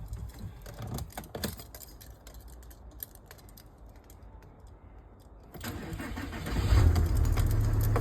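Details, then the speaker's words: VW Crafter 2.5 diesel first start after valve stem seals, timing belt kit and new water pump: short crank, then it catches and revs cleanly with an even clatter and no knocks or misses; a little black smoke at first clears. "So far so good. Just started crafter up. That's blown really clean."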